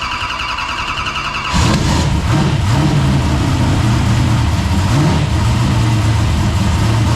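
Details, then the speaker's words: Newly built carbureted drift car with new headers, fired up for the very first time, water temp rising with air still in the cooling system: brief crank, then catches at once into a steady, even idle, a normal idle. "oh yeah buddy it sounds good sounds good dude that was one thing we didn't know about it sounds so good yeah dude that exhaust sounds good"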